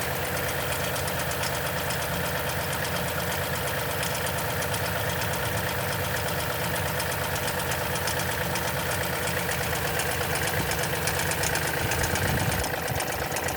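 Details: 2010 Toyota Tundra V8, 165k miles, oil changed every 5,500 miles: fast, uneven ticking rattle over the engine note at cold-start idle; suspected timing chain rattle.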